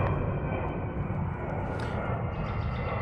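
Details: 2006 Honda Accord LX after replacing the dead starter motor (old one had worn brushes): first start, then an even, steady low idle rumble with no knocks, ticks or misses.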